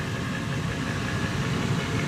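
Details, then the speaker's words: Carrier 58PAV furnace after installing a replacement inducer motor assembly. Steady, even low hum with a light rumble and no knocks or scraping. Pressure switch senses negative pressure and the hot surface igniter comes on; normal inducer motor run. "We've got our igniter, hot surface igniter on, which means that the diaphragm is sensing a negative pressure created by the inducer motor."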